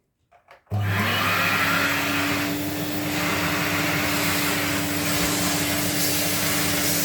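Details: 1979 Electrolux Z96 cylinder vacuum on second hose with small air aperture open: motor starts into steady high whine with rushing air roar, pitch slightly low and tight throughout; still sounded laboured, aperture made little difference; cause uncertain.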